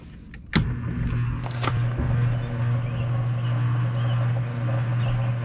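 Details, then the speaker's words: Roper washer, lying on its back with the pump disconnected from the motor. It was reportedly not working. After a click, a steady low mains hum holds with no spin-up. The motor is energized but not spinning, and it is not seized. "okay the motor's not seized so that's not an issue [Music] hmm what got me was that humming before"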